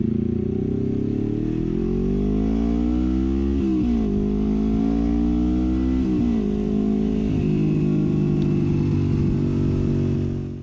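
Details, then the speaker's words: 1973 Honda CL350 with aftermarket exhaust, after secondary jets changed 105 to 120, new intake boots and timing/points adjustment: pulls smoothly through gears at full throttle, pitch climbing steadily past previous 6-7000 rpm stalling point to redline; no stumble. "you can see we're getting well well past where we were stalling up previously"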